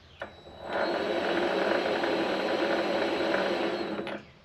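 A smooth even whir spins up, holds steady for about three seconds and winds down, with no knocking or grinding from the chuck.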